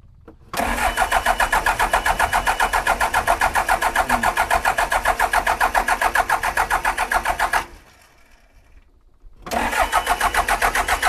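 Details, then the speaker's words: John Deere 310G backhoe diesel in neutral, battery at 12.5 volts, after long no-start: catches quickly into a steady even clatter near four beats per second, dips briefly, then runs cleanly; a fuel leak shows the pump is pumping. "Hey, but a fuel leak's good because we know it's pumping. Dude! It started!"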